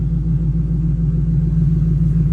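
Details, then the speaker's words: 2010 Mustang GT 3V with ON3 turbo kit, idling cold while warming up: a deep, even V8 rumble with a smooth, steady lope and no ticking or misfires. Healthy warm-up idle. "But anyway, she's warming up now."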